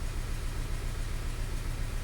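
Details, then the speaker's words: 2012 VW CC 2.0 TSI CCT engine, next morning after cam timing repair that had run flawlessly; pulling out of bay, random and cylinder 3 misfire, check engine light flashing; low lumpy uneven idle, engine misfire. "as we did we can feel that it's misfiring and there goes the check engine light flashing"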